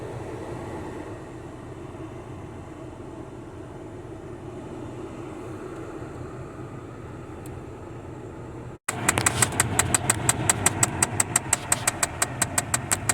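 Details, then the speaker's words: 2008 Chevy Impala LS with AC on: fan and idle hum, then rapid regular clicking about three per second from the dash behind the glove box after warming the box; failing blend door actuator, second replacement. "Okay, so it started doing it. I heated the box up a little bit, and now it's making the clicking noise."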